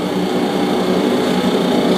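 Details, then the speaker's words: Hackett Mills turbine on its first spin after a rebuild, December 2013, not online and turning slowly at a little under 20% speed, oil flow and pressure up. A steady, even hum with a smooth airy rush and no knocking or grinding; a healthy slow spin. "slowly spinning around about a little less than 20% so pit Mills spinning in the circle first time December 2013"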